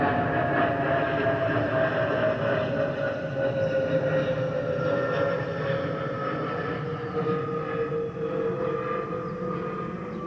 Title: Delta Airlines Airbus A320-212 N353NW DL2746 DFW-DTW (FOPP Whistling Sound)